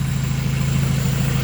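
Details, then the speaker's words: Honda with a swapped F23A, running after main relay replacement fixed a no-start, with an oily, smoky smell noted. Low, even idle with a smooth pulse and no misses, knocks or ticks. Normal idle. "So yeah, that's really dope. I'm glad that's running good."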